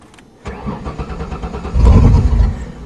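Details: 1994 Ford Taurus wagon with a refilled, primed tank after fuel was stolen: starter churns briefly, then the engine catches and settles into a low steady idle with a quick rev; clean normal start.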